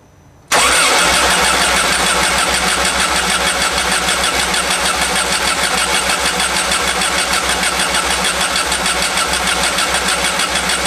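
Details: 1991 VW Vanagon after an engine swap: the starter churns steadily about three turns a second for ten seconds with no firing. Distributor timing at cylinder 1 TDC was checked, and the owner suspects air in the fuel lines.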